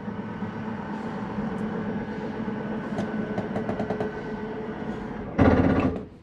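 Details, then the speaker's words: 2022 Catalina 333RETS travel trailer bedroom slide retracting: steady motor drone, light ticks, then short loud ratcheting burst as slide seats; normal end-of-travel safety slip, not grinding. "I want you to hear that noise. Don't worry, that's nothing going on with your slide. What it is the slide allowing itself to come in unimpeded, not go past that point. It's just a safety mechanism on the slide."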